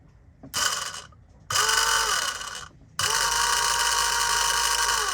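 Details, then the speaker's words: New electric fuel pump for a sailboat diesel fuel polishing loop, bench-tested before mounting: two short high whirring bursts then a steady even buzzing whir at constant pitch; pump primes and runs fine. "All right, before I mount this thing up, I thought I would just make sure it works. So I'm curious to hear what it sounds like."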